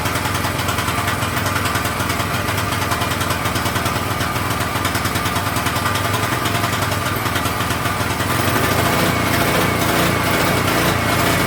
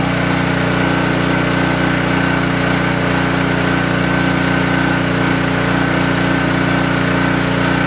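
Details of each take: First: King Canada 3000W portable generator with no air filter fitted, running a heat gun as a load test; the small engine buzzes with speed swelling and sagging, then picks up near the end: governor hunting, suspected from the missing air filter. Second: King Canada 3000W portable generator after blown-capacitor electrical repair and new air filter setup, started for load testing; smooth, constant hum at steady governed speed with no surging or hunting, running evenly.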